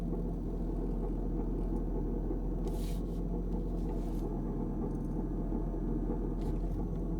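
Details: 2002 Kia Sedona with new timing belt, water pump, tensioner and idler pulleys: low constant growl at idle from the belt side, unchanged when steering or in reverse; owner suspects a bad pulley or power steering pump, worse in cold weather.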